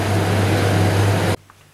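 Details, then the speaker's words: Hoover Candy tumble dryer, belt fine, drum won't turn: loud steady low motor hum, motor runs only after drum is pushed by hand; failed start capacitor. "this is a good indication that it's a capacitor"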